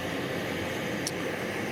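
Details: 1952 Rogers-built M-1950 military gasoline stove, fuel cap gasket and NRV pip replaced, lit after preheat before switching to run: steady, even hissing roar with no sputter or surging; burning cleanly, normal.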